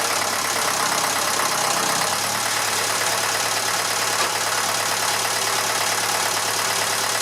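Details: Massey Ferguson 35 (835) tractor, Standard 23C diesel, running again after at least a year unused: steady, even idle clatter with no misses or knocks; a bit of blow-by expected for its age; normal smooth idle.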